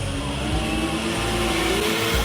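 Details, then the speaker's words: Runaway diesel: engine screaming flat out and climbing on its own without backing off, headers glowing red, the vehicle bucking. "this is a classic example of what's called Runaway Diesel and it can be really dangerous and result in an explosion"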